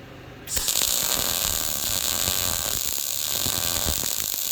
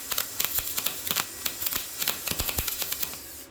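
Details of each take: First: YesWelder MIG-205DS dual-voltage multiprocess welder, MIG, voltage trimmed from +10 to -5 at same amperage: crackling frying arc with frequent sharp pops; sounded better but threw lots of finer spatter, technique less smooth than on the +10 side. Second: YesWelder MIG-205DS MIG welding cleaned-up rusty metal, voltage down from 24 to 22, wire speed raised at same amperage: crackling frying arc with frequent sharp pops, no long gaps; better result.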